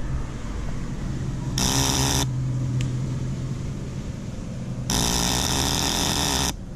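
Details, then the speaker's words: Motorcycle with weak battery (about 12.15 V at rest, drops to 9 V with ignition on and headlight lit): pressing the starter gives two harsh bursts of rapid chatter, starter motor doesn't turn, only the solenoid shaft clicking; engine never cranks, battery lacks capacity. "no tiene suficiente corriente para suministrar para el arranque ni siquiera gira el el burro de arranque solamente el eje que pega y despega"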